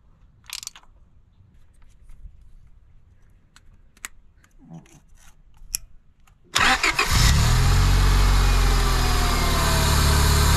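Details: 2001-2005 Honda Civic D17A2 with 220k miles, after fixing a crank-no-start by replacing the temperature sensor instead of the fuel pump: quiet, then a quick crank catches and settles into a smooth, steady idle.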